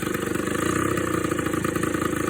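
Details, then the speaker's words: Suzuki LT80 two-stroke ATV after top-end rebuild with new cylinder and piston (previously not starting, low compression; now about 120 psi): quick, even popping idle with steady rhythm, no misfires or rattles, healthy before break-in. "That's better sounding. So now you want to go through the braking procedure with it."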